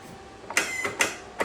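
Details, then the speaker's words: 2025 Toro 42-inch zero-turn mower, used about 8 times, battery charged: three sharp clicks about half a second apart, no cranking; solenoid and battery ruled out, starter pinion found stuck in the up position under 10mm-screw top cover. "Alright guys, so I pulled off 6 of these 10mm screws, pulled this cover back, and what it was is my starter was stuck in the up position."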